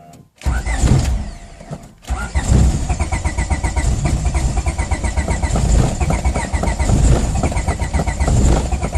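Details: 1993 Honda Civic D15B7, which stutters and stalls while driving normally: the engine turns over with slow, uneven churning but never fires. Crank, no start.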